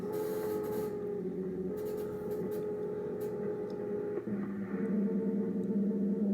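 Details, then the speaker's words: Ten-Tec Paragon 2 radio on WWV 10 MHz in AM mode: steady buzzy tones a few hundred hertz shifting pitch, feedback-like whine from volume control plus synthesizer noise; cause unclear after fixing a poorly grounded AM/FM board lead. "So now sounds like some feedback too from my volume control here. Some kind of feedback."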